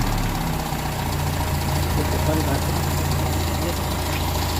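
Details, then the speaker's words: Car engine after replacing the missing distributor spring and reinstalling points timed at piston 1 top. It previously idled rough and felt heavy at low rpm. Steady, even low idle with no stumbles or misses. Normal idle. "bagus ya Jadi untuk semuanya ini sudah normal sudah sedia kala lagi Bahkan ini di RPM bawah pun ini gak ada gak ada Brebes gak ada kendala ini Langsa merata"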